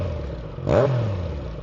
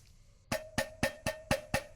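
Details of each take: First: Triumph Daytona triple with a newly fitted TEC full stainless exhaust replacing the problem muffler, just after a fuel pump replacement: crisp quick blip, pitch sweeping up and settling back, clean and even, a healthy exhaust note. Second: Triumph Daytona muffler removed and shaken by hand: about four sharp hollow metallic knocks a second, a loose baffle rattling inside the old muffler; new replacement exhaust is silent.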